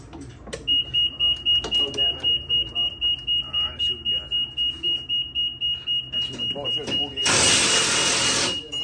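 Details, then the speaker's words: EZGO TXT electric golf cart (PDS) that won't run: sharp high beeps repeating about four per second from the controller, flashing fault code 35 while pack voltage is checked; controller fault code 35. "you hear that beat is beeping a code that's a that's a 35 code"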